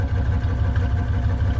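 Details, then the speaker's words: OBS GMC Yukon V8 running on a relocated two-door gas tank, left idling to check for leaks: steady, even low rumble, no knocks, misses or surges; normal idle. "i'm just gonna let it run for a little bit you know make sure there's no more leagues or anything"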